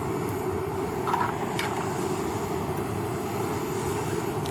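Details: A lightweight hiking stove burner on a mixed isobutane/propane canister, checked first for leaks, gives an even, steady rushing roar with no sputter or popping. The burner is lit and burning normally.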